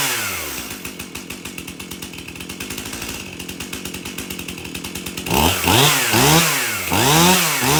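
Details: Stihl MS271 chainsaw, brought in hard to start, tested at shop door with bar and chain refitted after service: starts easy, crisp even idle pops about three per second, then clean rising revs without stumbling; runs really good.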